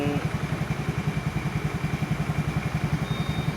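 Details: Honda Scoopy scooter after freeing a kickstart part that was rubbing the gear in the CVT: small engine idles with a steady, even low putt-putt, no scraping or rubbing.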